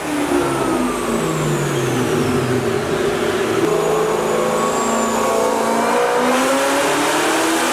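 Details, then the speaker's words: Terminator Cobra V8 on the dyno during a pull: revs sweep up with an uneven, stumbling edge as load builds; misfire under load, suspected spark blowout, fresh TR7IX plugs to be fitted. "I think it needs plugs. All right, it sounds like it might be getting some spark blowout, so I'm gonna go ahead and get a fresh set of TR7IXs in it."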